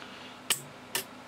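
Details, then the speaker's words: Firefighter thermal imaging camera (Fire Flir FF110) on the bench while its PCB is gently twisted: two sharp, crisp clicks about half a second apart from the shutter solenoid, which seems to coincide with the fault dropping out. Cause suspected, not confirmed. "got something there that seems to coincide with the solenoid kicking in"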